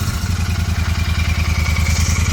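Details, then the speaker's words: 2023 Continental GT 650 twin after fixing a clattering "kat-kat" noise from the engine: a deep, even thump with no rattle, including when revved. It runs normally. "आवाज जब बिल्कुल bike की ठीक हो चुकी है मतलब वो वाली आवाज नहीं ए रही है फटाफट करके जो ए रही थी"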